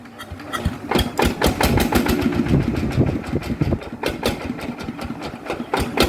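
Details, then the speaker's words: Diesel engine after customer repair and reassembly, test start: even diesel clatter at steady idle, about four knocks per second, no misses; soft and very quiet, healthy. "อ่ะเดี๋ยวลองเครื่องนี้ก่อนเลยอ่ะดูซินิ่มเงียบกริบ"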